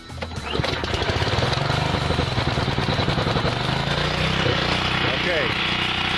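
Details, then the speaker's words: Gasoline portable generator, cold pull start on full choke; uneven lumpy beat with wavering pitch before smoothing once choke is backed off one notch; rough running on full choke. "notice that i had to move the choke the engine was running very roughly at first now i have taken the choke off one notch and the engine is starting to warm"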